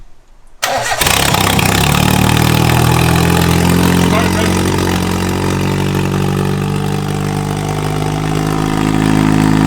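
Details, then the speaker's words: Mitsubishi Lancer 4G15 turbo, first start with the downpipe off: the engine catches at once, revs briefly and settles into a steady, smooth idle without misses or knocks; everything seems to be functioning well, and it sounds fairly tame. "wow all right I think I think everything's functioning well that doesn't really sound that loud it's actually pretty tame with the downpipe off"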